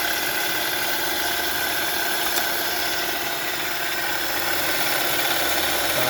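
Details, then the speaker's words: 2011–2017 Honda Odyssey 3.5L V6 idling after power steering pump rebuild with new bearing and seals, fluid topped up and bled: steady even idle with no bearing growl or pump whine; normal idle. "Definitely sounds much better now. So everything looks good so far."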